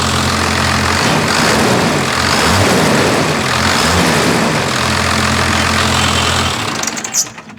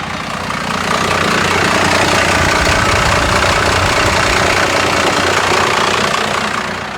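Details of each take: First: Newly bought first-gen diesel, full-fuel screw backed off a quarter turn, idle screw untouched: even, steady diesel clatter at idle with no hunting or misses before shutdown; normal idle. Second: First-generation diesel truck idling about 500–600 rpm with AC compressor off, dropping to about 400 in gear; loud clatter, slow lumpy idle barely hanging on; idle speed set too low.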